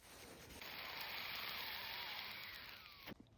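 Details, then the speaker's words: Water box from a 1994 Kawasaki 550SX stand-up jet ski, removed with the pipe, both ends plugged and blown into by mouth: faint steady airy hiss for about 2.5 seconds as air escapes through a crack in the water box. "All right, I blew into the tank while I was plugging both ends. And that right there, there's a crack leaking out."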